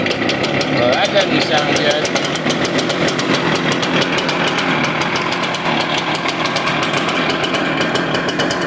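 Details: Stihl BR350 backpack blower backfiring out the carb despite new carburetor, filters, plug and primer bulb; coil was touching flywheel: ragged two-stroke run with sharp irregular pops, backfiring and running rough, cause unconfirmed.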